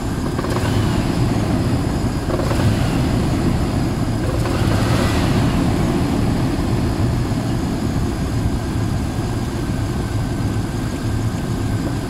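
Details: Range Rover P38 4.6 V8 runs rough with a dull uneven internal knock under exhaust drone, plus power loss, misfire and oil turning charcoal within months; owner suspects big end bearings or piston ring failure, unconfirmed.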